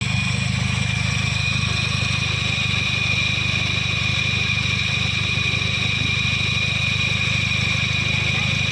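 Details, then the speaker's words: Older Toyota Yaris petrol engine idling, previously overheated, owner complaint of a noisy, suddenly rough engine: rough, busy drone with a steady high whine from a worn water pump. "Problem mesinnya berisik atau suara mesin tiba-tiba menjadi kasar."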